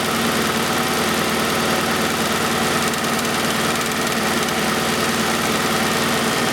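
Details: 1991 Oldsmobile Cutlass Calais 2.3L Quad 4 DOHC idling during injector testing on cylinders one and four: uneven, lumpy idle stumbling about every second, one cylinder dead from a shorted fuel injector.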